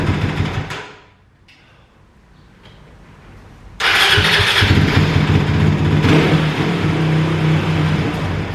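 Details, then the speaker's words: Kawasaki KLX450R with FCR carburetor, warm, idle turned down one turn, fuel screw out to two turns, throttle tube adjusted: catches and holds a fast idle that hangs high after blipping. "so we've got the uh throttle tube adjusted but um if you blip the throttle it still hangs the idle very high"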